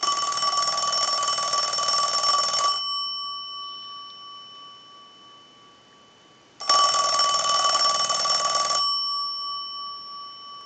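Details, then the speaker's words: Western Electric rotary desk Princess telephone, rung from an analyzer during repair checkout because the bell had been an issue: two roughly two-second bursts of fast, even, clean and strong ringing, showing the bell now works properly. "We're going to use the analyzer, but we're going to let it ring a few times because that was one of the issues, the bell."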